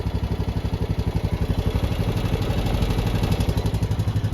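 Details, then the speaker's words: Honda Rubicon 520 DCT ATV, 2,240 miles, 292 hours, run hard with much rev limiter and road use, valves never adjusted: steady idle with light even ticking about four a second that comes and goes; owner assumes valve tap, before adjustment. "So we're gonna adjust the valves and hope that goes away. We can only assume it's valves."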